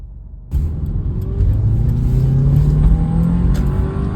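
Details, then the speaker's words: Petrol engine after repairing a torn intake boot and cleaning the throttle body: steady low rumble with no whistle or hiss; previously low, rough idle with whistling is gone. "it's gone woo I fixed it because I'm a Master Tech man"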